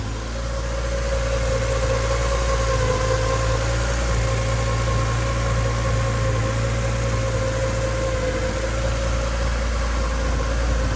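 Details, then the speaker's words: 1989 Honda CRX Si project, after radiator repair; engine smoothed out from earlier misfire-like running and now idles evenly with no stumbles, though an exhaust leak at the rear causes spitting and sputtering. "but it sounds like the motor smoothed out it's running pretty good now"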